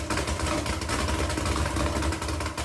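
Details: 2009 Suzuki GSX-R600 four-cylinder idling unevenly with lumpy low exhaust pulses; rough idle blamed on spark plugs, with spark plugs and air filter being replaced.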